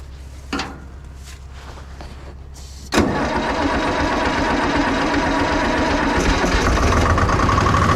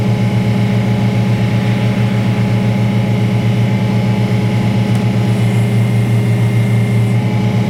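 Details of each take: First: Detroit diesel car crusher at idle with a pressure line cracked open: loud busy idle with a rough hissing wash; hydraulic pump is pulling only air, not oil from the tank; blockage or failed pump suspected. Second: Detroit Diesel-powered car crusher whose hydraulic tank was found holed by a bump, which explained why it held so little oil. A steady, deep drone with a constant hydraulic hum and no knocks, squeals or surging; running normally.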